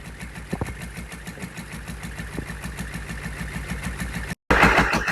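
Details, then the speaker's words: GEP/Navistar 6.5 diesel, rebuilt (Scat crank, 30 over, moly pistons), Stanadyne DB2831-4911 pump, on a stand, about 34 psi oil pressure, after revving: even regular knock about three beats a second, settling without stumble or hunting; normal return to idle. "Notice how the motor falls back to idle. Doesn't stumble or anything. Goes right back to idle for high RPMs."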